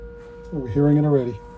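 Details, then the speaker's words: Arvin 257T tube radio at 117 V during IF alignment with warmed-up signal generator: a steady pure tone rises out of quiet static hiss, clean and unwavering; IF stage passing a clear signal. "I'm getting a clear signal. Just want to keep it lower, so we'll actually hear it."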